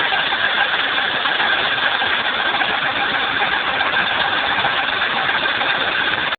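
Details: BMW M30B35 engine at cold start: steady running with busy metallic clatter, suspected timing chain by noise location, gone when engine is hot; cause not confirmed.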